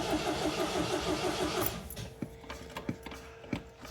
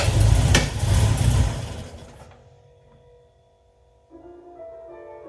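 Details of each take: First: 1979 MGB long kept in the family, choke set and fuel pump primed: even starter churn about three turns a second with no catch, then stops; won't fire on stale fuel. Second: 1979 MGB, cold start on choke after oil check and battery charge; engine catches and idles rough, then revs rise and level as it warms, temp gauge not yet reading; normal cold idle.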